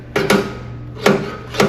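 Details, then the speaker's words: Revolution reel mower during reel-to-bedknife adjustment: sharp knocks as one side of the reel strikes the bedknife, set a little too tight; backing the adjuster off a hair stops it. "So here I'm knocking a little bit too hard. I can hear the reel. By looking, I can see that it's this side that's touching. When this blade hits the bed knife, it's making a knock."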